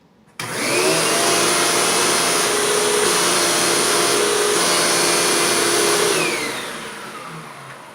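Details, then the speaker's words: Hoover Tempo Widepath upright vacuum with a wood brush roll of very stiff, long bristles, set to medium height on linoleum: steady high motor whine with a harsh, hissy rasp as the bristles strike the hard floor. "all right now I'll put it down the bare floor and the bristles are definitely going to hit this linoleum"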